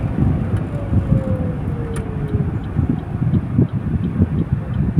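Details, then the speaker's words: Suzuki Celerio 3-cylinder, driving on the road: only even road rumble, no droning hum climbing with speed; wheel bearing quiet and healthy. "Okay mga idol, no? Wala nang ka ugong-ugong."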